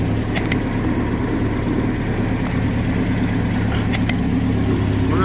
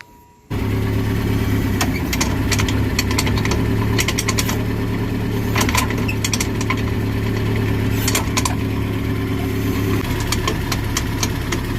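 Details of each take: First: 2006 Nissan pickup running in gear with a rear wheel raised after replacing the driveshaft universal joint (cruceta); steady low hum, driveshaft turning smoothly with no noise, the strange rear noise heard on the road now gone. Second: 2006 Nissan pickup, engine running in gear with a rear wheel lifted: loud, rhythmic driveline clanking at about four knocks a second. The cause was a worn driveshaft U-joint at the differential yoke.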